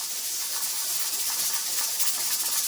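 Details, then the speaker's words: Pressure canner processing tomato sauce, heat started on high and now being turned down: loud steady hiss with a fast, busy rattle from the pressure regulator weight instead of a slow, even rock; regulator rocking too fast. "That's still fast, so I'm going to cut my heat down even more. Because I started my heat on high to help build that pressure."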